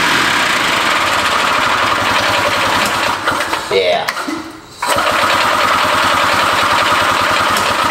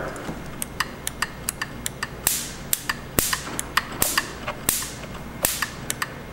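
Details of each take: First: Barn-find Harley Davidson golf cart two-stroke engine, no drive belt, carb hand-filled with two-stroke gas plus ether: rough, uneven putter that stumbles and nearly cuts out as the carburetor runs empty; fuel starvation. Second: Harley-Davidson golf cart, barn find, ignition points actuated by hand with the coil powered: crisp snapping ticks every half second or so, a sharp spark crack each time the points open, so the coil fires normally.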